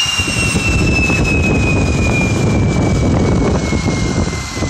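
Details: Tiernay turbine run again after sitting two years, following repair of a high-pressure fuel line. Loud even roar under a high whistle slowly dropping in pitch, no pops or surging: normal running.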